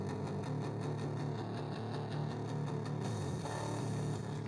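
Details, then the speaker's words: Mid-1990s Sears-branded car radio on the bench, volume at max on a very strong local station: music comes out harsh, buzzy and crushed, heavily distorted. "heavily distorted so I'm not sure what the issue is is it an amplifier is it before it"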